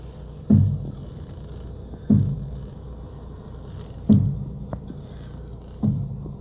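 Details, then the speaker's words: Lada Priora, right front, turning the steering wheel at standstill or low speed after the strut mount and bearing were replaced: four heavy dull thuds about two seconds apart; owner suspects the spring slipping off the support bearing or cup. "покатался немного появился очень очень неприятный стук сейчас я вам попробую продемонстрировать я думаю камера может запишет я думаю скорее всего это не опора это что-то вроде пружина соскакивает с опорного подшипника либо со стакана"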